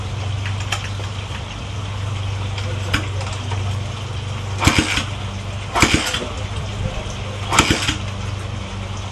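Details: 1970s SP370 single after valve and retainer repair, restored compression and spark, first fire-up: steady low thumping drone with a few sharp blips as it runs evenly.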